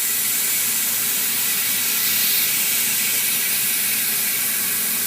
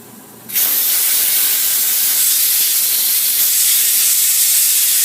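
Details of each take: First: Tire being mounted on rim at home: after pushing the tire to seal the bead, a steady, even high-pitched air hiss as it fills from the air compressor quick-connect tip; normal inflation with bead sealed. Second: Tire being mounted on rim at home with air compressor quick-connect tip: loud steady hiss of air escaping where the tire bead hasn't sealed against the rim, so no air goes into the tire.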